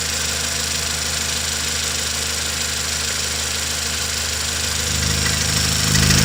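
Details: 2016 Toyota Camry 2.0 6AR-FSE, 22,000 km, at idle: steady hum with an even, rapid tapping knock about four per second; engine knock, cause unknown.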